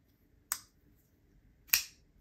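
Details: Micarta F5s folding knife after Loctiting the pivot: two crisp, clean snaps about a second apart as the blade flicks open; the detent sounds fine, though the owner later hears a lock bar rattle.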